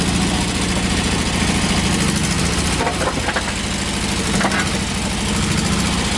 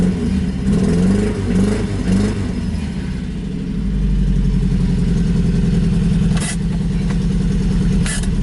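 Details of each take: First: 1986 Toyota pickup, 22R extra cab with a new carburetor, freshly started: harsh, raspy idle with rapid uneven exhaust pulses and crackle. The open stack sits right behind the cab with no muffler. Loud exhaust from the missing muffler. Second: 1986 Toyota pickup, 160,000 miles, brand new carburetor, manual: after pumping gas pedal twice it fires right up into loud, steady idle with deep even exhaust beat, no misses or knocks; healthy, noisy from open stack.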